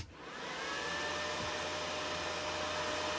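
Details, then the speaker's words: ZX7-250 MMA IGBT DC inverter stick welder just plugged in: always-on, non-thermostatic cooling fan spins up quickly to a smooth, steady whoosh with faint constant hum, no rattle or scraping; fan healthy. "So as you can hear there, that's the fan what's running. It keeps it really cool, so that's a good thing. It doesn't turn off, it's not thermally controlled."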